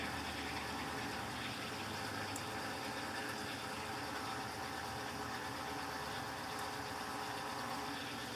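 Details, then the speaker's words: Electrolux LTC15 washer washing sneakers on stain-removal program, after sneakers knocked the basket: quiet steady hiss and hum through spin with no knocks or scraping; normal spin, foam behind basket normal. "Agora eu vou deixar ela centrifugar normal."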